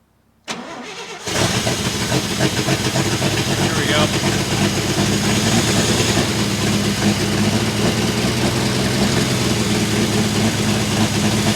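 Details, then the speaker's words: 1966 International 1200A pickup with a weak battery, started after pumping the throttle: cranks, catches and settles into a loud, uneven, blatty idle with a raw note; the exhaust leak has worsened and half the muffler is on the ground. "go sounds like crap but it needs an exhaust really bad if you can believe it the exhaust the exhaust leak has gotten worse the half the muffers on the ground my neighbors are going to hate me"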